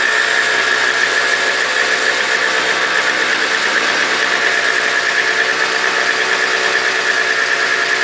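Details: Toro CCR 2000 single-stage snow blower, 4.5 hp two-stroke, after cleaning; smoked from very old gas backed into the cylinder; warming up: steady high buzz, even and unbroken, no stumbles or misses; normal running.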